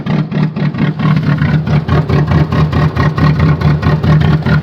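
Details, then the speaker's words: Chevrolet Cavalier cold start at 0°F: uneven, lumpy idle pulsing about two beats a second with stumbling firing, running very rough, rotary-like sound; worst in a long time. "take that sounds terrible sounds like a rotary rap rap rap rapping rotary Wow"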